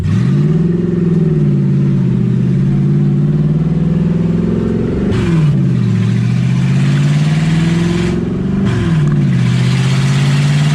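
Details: 1UZ V8 Ford Falcon, warm with radiator hot and temperature around 160, first drive: hangs at a raised idle, then revs dip and surge back twice without throttle. Owner unsure why; erratic high idle.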